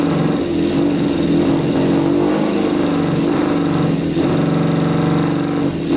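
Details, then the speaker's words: Custom Yamaha Banshee with a 600cc sport-bike four-cylinder engine, with spark confirmed at all plugs: a rough, lumpy, lopsided run with only the two outer cylinders firing; a misfire is suspected, with carburetors possibly to blame. "all right looks like only two cylinders are running the two outer cylinders are running so i think we should take off the carburetors and just go through them"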